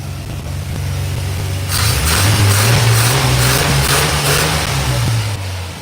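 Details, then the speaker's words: 1986 Chevy C10 with TBI fuel injection, injector pulse present, fuel pressure holding at 15 psi (spec 14-18): idle dips and surges unevenly then catches; idle stumble, injectors or fuel pressure regulator suspected. "All right, you see, it's starting to stumble."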